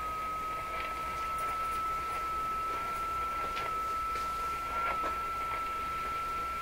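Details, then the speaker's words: Rogers 11RA651 shortwave tube radio after paper capacitors replaced, fed by signal generator: steady high heterodyne whistle over hiss with pitch creeping, showing the radio's drift, not the generator's; cause under investigation. "If the pitch is changing, which it is, the radio is drifting. It won't be my signal generator that's drifting. There's no drift in the signal generator. Clearly there's a drift."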